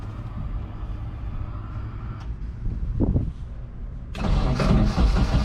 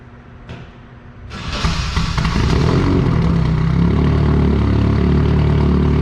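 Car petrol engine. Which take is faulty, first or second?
first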